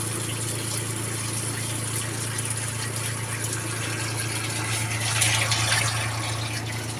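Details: Twin-tub washing machine after repair of a drain problem caused by washing rags, which can block the water path. Even low motor hum with water swishing, no rattle, knock or gurgling; no more leaking water. Normal running.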